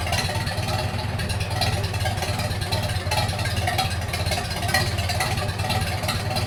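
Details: 1942 Farmall H tractor, hand-crank started in the garage after transmission teardown and repair of a scraping/screeching noise and hard reverse shifting, carburetor not yet adjusted: steady, even low putter at constant speed, no knocks or misses; normal running.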